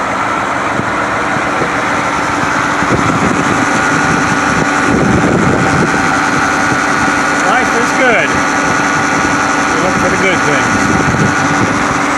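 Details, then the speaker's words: White 4-175 tractor on high-speed road test after rear main frame repairs. Its old low hum at high speed, thought to come from worn rear-end gears and broken bull gear teeth, is gone; steady engine drone, normal drivetrain. "I just took it on a high-speed road test this uh tractor always had at high high speeds had a hum a very low sound and um all that's gone so I guess that was something worn in the back end those gears and the broken teeth on the the bull gears"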